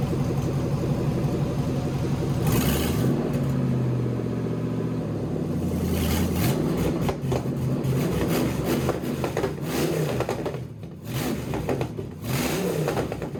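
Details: Swapped LS V8 in a BMW E46, first start in chassis with a custom cooling system; a few revs, then a steady, even idle with no knocks or misses as it warms toward about 178-180°F on OBD2.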